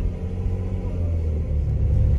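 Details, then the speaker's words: 1990s Ferrari 512 at low revs: deep, lumpy rumble with uneven beat, running on what sounds like six and a half cylinders; immobilizer also acting up. Cause suspected, not confirmed. "so welcome to 90s Ferrar everything that should be working won't and anything that you really don't want to kick in will so we're on what 6 and a half cylinders do you reckon here"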